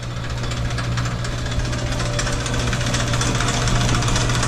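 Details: Old heavy-duty Sidney lathe refitted with a 110 V motor, heard close up: steady low hum with light even mechanical chatter, no grinding or rising whine; lathe running normally.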